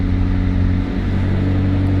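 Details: Crash-damaged McLaren 600LT being rebuilt, started with pyro fuse jumped and a broken radiator so run only briefly: deep steady rumble at even pitch, no knocks, ticks or whine; clean healthy idle, dash clear of faults.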